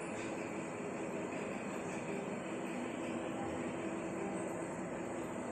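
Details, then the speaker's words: LG 7 kg top-load smart inverter washing machine, gentle wool wash, spin mode in its final minute: smooth steady whir with faint even tone, no thumping or grinding; normal spin cycle. "Spin మోడ్లో 1 minute దగ్గర wash ఈ రకంగా ఉంది. చాలా ఫాస్ట్గా dry చేస్తుంది క్లాత్స్ని."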